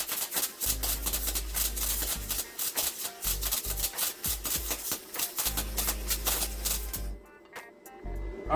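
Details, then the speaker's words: Tooliom TL-250M MIG welding plate steel at about 225: harsh, uneven crackling with stutters and gaps instead of a smooth sizzle; weld came out well but may have been too hot. "right it sounded like absolute garbage but it came out good so I don't know what to say about that"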